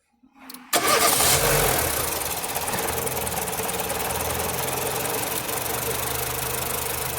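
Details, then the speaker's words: Nissan Platina with power loss, backfiring and shaking at stops, water-bottle test on engine: cranks and catches, then shaky, uneven stumbling idle as current cuts out; ignition misfire traced to a cracked ignition coil. "cada que como que se corta la corriente es cuando la botella se mueve más"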